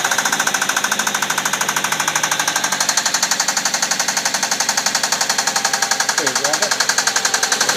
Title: Suzuki SX4 Engine knock